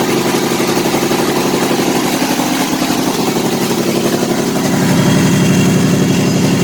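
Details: Kohler Command CH18–CH25 twin: an uneven, loping idle that never settles; running extremely rich on one or both banks, with a dead coil suspected.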